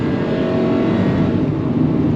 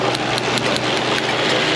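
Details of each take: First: 2000 Honda Civic 1.6 L 4-cylinder, 219,049 miles, after tune-up fixing misfires (P0300-P0304) and rough running: full-throttle uphill pull at maximum load, dense even roar with no stumbling or popping; healthy acceleration, no misfire. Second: 2000 Honda Civic 1.6L 4-cylinder, 219,049 miles, rough running with check engine light: uneven idle with irregular sharp snaps about every fifth of a second; all cylinders misfiring from coils leaking spark.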